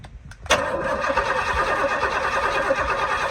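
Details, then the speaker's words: Barn-find Pontiac GTO, decades unstarted, timing found far off, new HEI distributor fitted with hot wire: steady starter cranking with no firing at all because the ignition wire was not connected; crank, no start. "Oh, I gotta have the ignition wire on it. Otherwise, we're Not doing any good."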